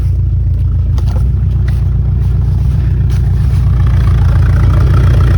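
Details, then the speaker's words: 1979 Ford F100 Ranger XLT V8 left sitting in a mud yard, first running: deep steady rumble at idle through dual exhaust, no smoke, no misses or ticks; normal idle exhaust. "Muffler ends right there the exhaust and it sounds great no issues at all I wonder if it's got dual exhaust can't really tell"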